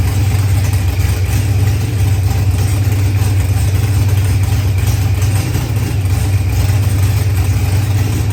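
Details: Procharged LS V8 with 12-1 crank trigger, running after start troubles were fixed; deep, steady burble with low loping pulse holding even throughout; normal running.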